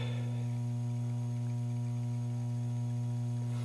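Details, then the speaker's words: Williams Flash pinball machine sound amplifier with the center-tap ground wire put back in: a steady low 60-cycle electrical hum with even overtones. Mains hum from the faulty amplifier ground. "if I throw this back in this ground wire can you hear that I know I can and it's"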